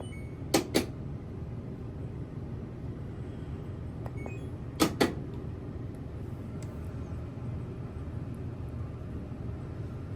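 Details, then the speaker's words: LG Inverter Direct Drive top-loading washer entering its drain cycle. A steady low hum with no water moving, broken by a couple of sharp clunks. The drain pump hums but does not drain; it is unclear whether the pump needs replacing. "well just as I was watching it it went into its rent cycle where it would start to drain and poof same issue again you can hear it humming"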